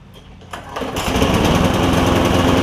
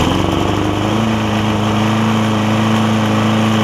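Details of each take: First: Lowe's MTD push mower with Briggs 5.25 Quantum engine, before repair: smoking, uneven lumpy running with a wet popping note and gas spitting from the carb; a tight intake valve is suspected, fixed by grinding the valve. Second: Lowe's MTD push mower with Briggs Quantum engine after intake valve grind and slightly drilled-out carb jet: steady even note at constant pitch, surging mitigated, running smoothly now.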